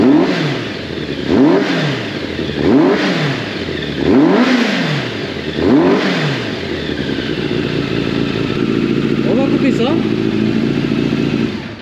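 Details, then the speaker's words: Yamaha FZ750, carbureted 20-valve inline four, first start after long storage via TOPDON JS1200 jump starter: fires, about five sharp throttle blips, then lumpy idle with light top-end clatter; valve noise after long storage. "que ça fait un bon moment qu'on n'avait pas démarré vu le temps quels amis et puis le retour des soupapes"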